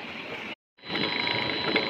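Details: Three-phase irrigation water pump motor watering a millet crop, after repair. It used to overheat and run on two phases from a faulty grip connector; now wired direct and set at 55. A steady, even hum with a clear high tone and no grinding; full water pressure, healthy.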